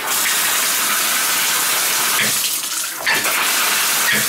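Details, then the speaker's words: Tub/shower valve that is hard to shut off: steady hissing rush of water continuing with the valve off and dripping inside the wall; suspected worn cartridge gasket. "That's not good, that sound. It's dripping in the wall too."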